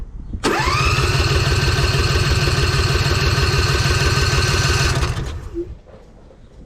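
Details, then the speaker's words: 2007 John Deere Z425 zero-turn mower, new Briggs and Stratton engine 44S977-0032-G1 replacing failed 445577 after 1000+ hours, first start with fresh oil, muffler off: catches immediately, loud but even fast beat, no knocks or misses, shuts down cleanly. Normal running. "now it's gonna be a little loud too because the muffler's not on yet"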